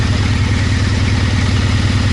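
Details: 1: Triumph Bonneville twin idling after injectors were cleaned and tested, fuel-line O-rings replaced and a faulty O2 sensor fixed, with the engine management light out. A steady, even low putter with a regular beat and no misses or knocks; normal idle.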